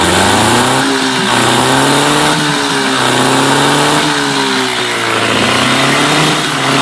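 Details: Mercury 8HP two-stroke outboard, sat unused for an unknown time, running in a water tub on its first test start; the buzzy note rises and falls with repeated throttle blips, picking up cleanly without stumbling; normal running and revving.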